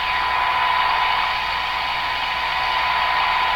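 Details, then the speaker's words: Hallicrafters TW2000 World Wide radio during broadcast-band alignment near 1500: steady high test tone near 1 kHz sitting over a constant hiss band, with the signal received but buried right in the noise. "It's right in the noise spot. But I'm not going to be fooled. I will not be fooled."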